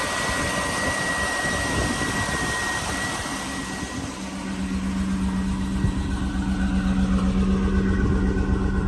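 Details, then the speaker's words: 1995 Chevrolet Suburban 2500, 454 fuel-injected V8, automatic, 4WD, idling: steady, low rumble that dips slightly, then firms up evenly, with no knocks or misses; idling healthy and sounds good. "I'll show you the lights and take a listen to that 454 fuel injected. Sounds good."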